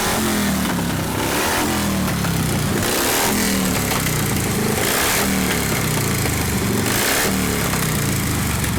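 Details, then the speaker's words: 1952 Harley 74ci panhead with new top end breaking in and rebuilt Linkert carb, no choke: V-twin lopes and stumbles as throttle rolls on at low revs, hesitating below about 1500–1800 rpm before picking up; cause suspected, not confirmed. "I was testing the throttle to see where it would hesitate. I had to get down to about 1500 RPM before it didn't want to take it, just rolling the throttle on like this."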